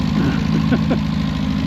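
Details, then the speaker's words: 1977 Daihatsu F10 with a 1990s 3K engine swap, a junk carb and a junk fuel pump: lumpy, uneven idle stumbling over a low drone, rough and close to stalling. It keeps dying; cause not yet found. "It's still being real daughtery and dying."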